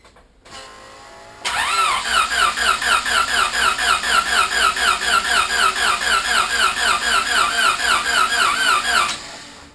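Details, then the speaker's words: 650+ hp twin-scroll turbo Civic first start after a failure, cranked with injectors unplugged to build oil pressure; steady labouring cranking about four turns a second, no catch, battery seemingly fading; slow cranking, no start. "heck, it sounds like if I go any more than that, I might kill my battery."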